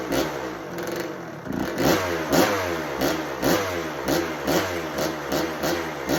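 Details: 1986 Kawasaki KX125 two-stroke, first start of a no-spark project bike, on choke: crackles and surges about twice a second, never settles, won't idle.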